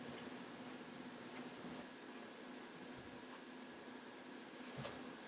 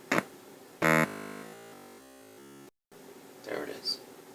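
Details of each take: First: 1973 Luxman L-507 amplifier (50 W/channel) that crackled and popped on the left channel at cold start before relay engagement: power-on now gives faint steady hiss and one relay click, no crackles or pops; fault seemingly corrected itself, unsure why. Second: 1973 Luxman L-507 amplifier, 50 W per channel, cold start: two sharp crackling pops with faint ringing over the quiet left channel before the relay clicks in; intermittent crackle and pop, cause not yet found.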